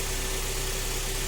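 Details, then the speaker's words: Kia Optima G4KE 2.4 after third engine rebuild, catalytic converter removed and replaced by a resonator: smooth even idle with steady low droning exhaust hum from the resonator. Exhaust resonator drone. "такой звучок появился от этого резонатора"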